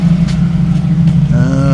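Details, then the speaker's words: 1990 Jeep YJ 4.2L inline-six, 5-speed, new carburetor, warm at about 185°F, idle set slightly lower; deep even low rumble, no misses; normal warm idle, choke still snaps shut on throttle and needs adjusting. "Still running nice and smooth. So, yeah. But it sounds good. It sounds nice and smooth again."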